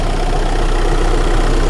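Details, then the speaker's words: 2014 VW Crafter 2.0 TDI after snapped cambelt repair (retimed, new belt and tensioners, no engine or head replacement), just started with warning lights on: steady even diesel clatter at idle, deep consistent rumble, no knocks or misses; running right. "it's running. That sounds beautiful. Sounds right, doesn't it?"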